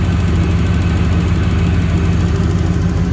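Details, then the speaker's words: 1992 Trans Am, warm, after replacing leaking injectors and setting fuel pressure to 43 psi: steady smooth idle with a light quick even ticking from the new fuel injectors. "you hear the uh that Ticky Ticky tick that's the uh new fuel injector spping"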